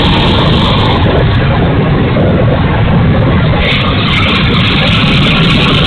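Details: E-flite A-10 Thunderbolt II RC jet, twin 64mm electric ducted fans: loud, steady rushing roar with no clean tone; motor sounds bad, rough and noisy, cause unknown.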